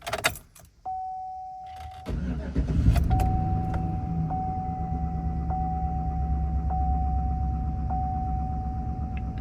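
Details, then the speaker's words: 2011 Chevy Silverado 5.3L V8 with P0307 cylinder 7 misfire code, idling after swapping cylinder 7 and 1 coil packs and plugs: still an uneven, lumpy idle with odd stumbles and a shaky RPM needle. "so we just swapped over the coil pack and plugs. I can still feel idling like crap."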